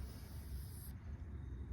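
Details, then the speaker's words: Bauer 20V airless paint sprayer (Harbor Freight) being primed: hiss of air over a low rumble as trigger is squeezed with the intake out, cutting off sharply once trapped intake air purges and paint fills the reservoir; air trapped in sprayer intake. "So all I did is take that out, and you start to squeeze, and you'll hear the air. And there's actually quite a lot, even though you fill up that cup a lot of the way, because till it starts to fill in the reservoir above."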